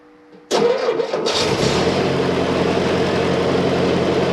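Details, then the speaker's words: M151 after carburetor idle fix, about three-quarters choke: engine cranks, catches and settles into a fairly steady idle within a second, with no stumbling or hunting. It sounds much better. "hmm that sounds a whole lot better"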